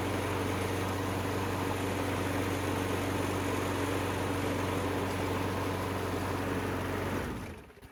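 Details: Craftsman self-propelled mower with replacement engine swapped in, testing self-propel after belt check: steady, even single-cylinder drone with no misses or knocks, then clean shutdown; good runner. Normal running.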